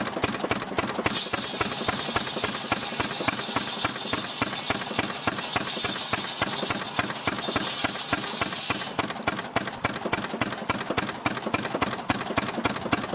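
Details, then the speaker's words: Restored 6 hp Fairbanks Morse Model Z stationary engine running on kerosene, driving a buzzsaw: slow, even chuffing about 3.5 beats a second keeps rhythm while the saw screams through firewood; normal, healthy running under load. "Alright folks, there we are. Got it running now. It's running on kerosene. I'm gonna head over now and cut up some wood."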